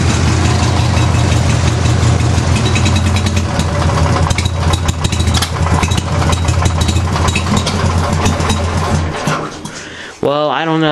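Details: Craftsman with 14 hp twin-cylinder Briggs engine: loud, lumpy idle with uneven loping, stumbling beat, one cylinder dropping out though spark checked good; owner suspects compression, rings or head gasket, unconfirmed.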